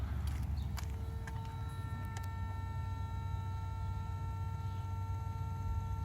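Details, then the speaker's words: Mercedes S320, ignition on, engine off, fan and radio shut down: steady quiet hum with fine high whine and clicks from the electronic throttle actuator; normal. "so let's listen to the humming noise first"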